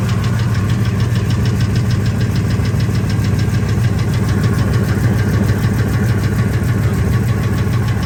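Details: 1999 Ford F250 V10 idling in park; fast light tick, about three per second, over a steady idle. The tick comes and goes between 600 and 1800 rpm, is loudest near the flex plate and vanishes above 1800. Injectors and coils were replaced and the EGR deleted; cause still unknown.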